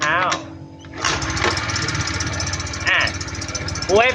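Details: Honda Click 110 carbureted scooter, with the starter one-way clutch removed to rule it out: over the steady running come high, sharp metallic chirps, the clutch housing cooling fins rubbing the crankcase.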